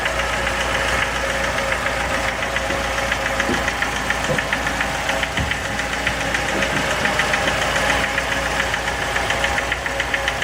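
Sharp, regular knocking at about three and a half per second over a steady idle; a clear internal knock, cause not pinned down.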